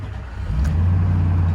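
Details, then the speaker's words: 1996 Land Rover Discovery 1 V8, factory 5-speed manual, just delivered: V8 starts right up, settles into deep steady idle within half a second, no stumbling; clean start. "All right, starts right up."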